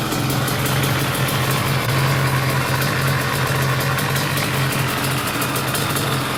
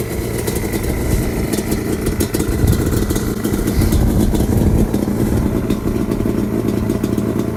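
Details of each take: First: Restored Yamaha Banshee two-stroke quad after first rebuild round: steady, even idle with crisp rapid exhaust patter, no stumble or knock; healthy. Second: Yamaha Banshee two-stroke quad with FMF exhaust, after sitting 14 years, before teardown: popping idle with a few revving blips that climb and fall back; runs, but sound alone doesn't show inner wear or power.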